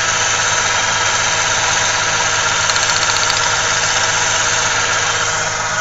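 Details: 1995 Ford Ranger Splash 3.0L V6 at idle: uneven, shaky idle with an irregular exhaust pulse, heavy vibration and strong gas smell; one cylinder seems to drop out, misfire suspected, spark plug wires being checked.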